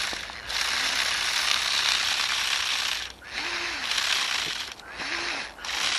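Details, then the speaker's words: RC Spiderbot with a brushed motor and 20A ESC, driven off-road: rapid, harsh ratcheting clatter in bursts as teeth skip. The original gear on the other side, not the newly replaced thinner gear, has stripped. "yeah I think that's it I think we've already killed that new gear oh dear it was never designed to do this sort of off-road stuff"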